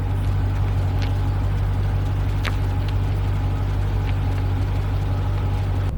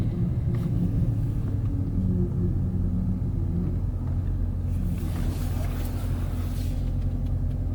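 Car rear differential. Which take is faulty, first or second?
second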